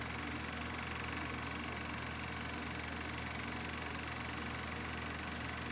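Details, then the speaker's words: Kodak Pageant AV-126-TR 16mm sound movie projector, bought off eBay, switched to motor and running: an even, fast mechanical chatter over a steady whirr with no catches. Normal smooth running. "first you have to do is turn the switch onto motor and then to start first you got to do is focus and then and then it's operating it's working then you can watch your film"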